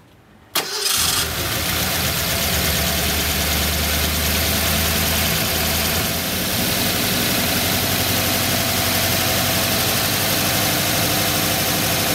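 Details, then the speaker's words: 1985 Ford Bronco during ignition timing check, held at about 2000 rpm for full advance, target 34 degrees; brief crank then steady even fast idle with no stumbles; timing found about right, runs normally. "2000 rpm so that i get the all of the advancement kicking in"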